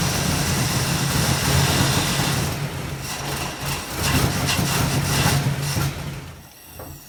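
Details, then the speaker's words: 1960 Pontiac Ventura barn-find V8 with Tri-Power carburetors (outer carbs disconnected), timing advanced to previous setting: idles uneven and lumpy with stumbles, won't run on all eight cylinders, backfiring exhaust and carburetor; owner suspects fouled plugs. "this beast just refuses to run on all eight cylinders and can get it to run so so as you see it's still wanting to miss its shaking and shimmying backfiring both out of the exhaust and out of the carburetor"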